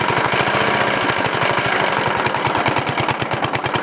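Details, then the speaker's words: Briggs & Stratton 14.5HP OHV (model 28) single-cylinder riding mower engine, first run in years after a new coil/magneto. Fast thumping with a dry, uneven rubbing knock that is still present with the flywheel cover off, so it is internal; cause not yet found. "ok guys so the noise is internal I took the flywheel cover off and ran it and still make noise"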